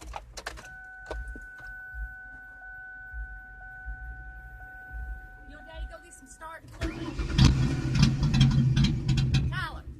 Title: Car won't start 'junk'